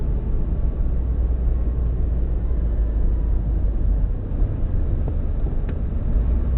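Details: Subaru WRX EJ205, warmed up, at idle: deep steady rumble with uneven lumpy undertone, cylinder 3 misfire not fixed by spark plugs, cracked valve suspected; engine shakes a lot, small squeak from AC compressor.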